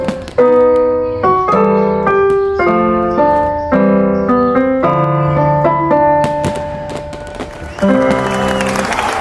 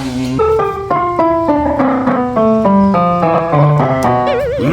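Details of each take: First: California GM650 keyboard after repairing its broken power input port and cleaning the hoarse, noisy pitch bend/modulation control with quick-drying spray: clean piano notes and chords with no crackle; working normally. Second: California GM650 keyboard after repairing its broken power input: notes sound rough and hoarse with an unwanted warble, caused by a dirty pitch bend/modulation wheel, to be cleaned with quick-drying spray.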